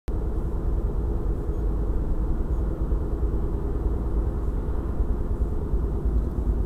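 Deep steady rumble with an even droning vibration under the road noise and no clear grinding or squeal. Brake judder suspected, cause unknown.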